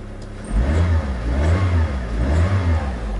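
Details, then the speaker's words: Mitsubishi with codes P0303 cylinder 3 misfire, P0170, P1313, P0135 (front O2 sensor heater): car behaving erratically, revs surge up and down unevenly instead of holding steady, hunting idle suggesting misfire. "что-то машина учился как-то неадекватно ведет очень неадекватно"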